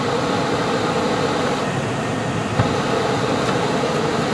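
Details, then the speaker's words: 2001 Nissan Sentra, HVAC controller just fixed with zip ties, heater blower running after mode check (full floor): smooth, even rush of air with steady hum, no rattle or wobble; normal blower airflow. "Oh, it sounded like it was blowing out the vent. Oh, okay, it's full floor."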